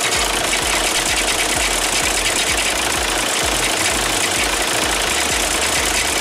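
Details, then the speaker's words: 2006 VW Jetta TDI MK5 with DSG, idling: a loose, uneven rattle and thump underneath that disappears with a little gas and returns off throttle. The cause is a failing dual mass flywheel. "If you if you give it a little bit of gas, it will disappear. And once you let off the gas, it comes back."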